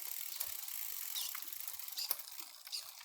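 Light, quiet ticking of the chain and freewheel while pedaling, with no grinding, rattling or skipping; gears are running cleanly.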